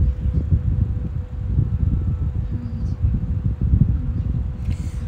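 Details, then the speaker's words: 10-inch Opolar desk fan (rebranded Woozoo): steady soft whine at one mid pitch over the airflow hum, no ticking or rubbing; owner notes a possible slight bearing sound and may oil it; normal fan motor whine. "such a cool wine i wish it was really overly pronounced unfortunately it's not hopefully the camera's picking it up"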